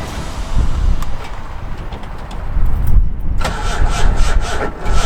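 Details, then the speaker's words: Engine idles with an uneven, stumbling misfire. The owner says it is not ignition-related: a spark plug is fouled by coolant from a failed head gasket. Smoke is light now but worsens once the exhaust warms up. "Um, and of course, you can hear that misfire, and that is not caused by ignition."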